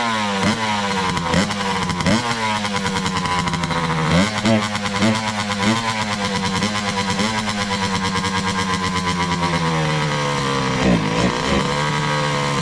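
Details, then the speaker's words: 2003 Kawasaki KX60 two-stroke on 40:1 premix, air-fuel screw at one and a half turns out from lightly seated; raspy buzz sagging and stumbling on throttle blips, still bogging. Owner suspects the carburetor, may replace it. "one and a half turns from slightly Seated on the air fuel mixure [Laughter] [Music] def still boggy so I guess at this point we're going to strap something up and take it for a quick ride"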